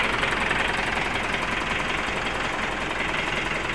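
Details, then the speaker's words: 2010 Mitsubishi Pajero Exceed common-rail diesel after repair of a sudden no-start: now starts easily; even, steady diesel idle clatter, regular beat, no misses, stumbles or air-leak hissing, no air entering the fuel line; normal idle. "untuk mesidnya sudah hidup Ya sudah hidupnya juga sudah gampang teman-teman kondisi mesinnya seperti ini ya"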